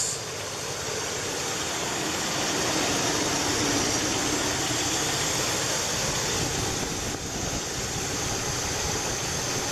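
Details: 1984 Chevrolet El Camino Conquista V8 idling steadily and evenly under loud fan hiss after fuel leak work and refilling the carburetor float bowl; no stumbling or misses, no leaks seen underneath, not yet at temperature.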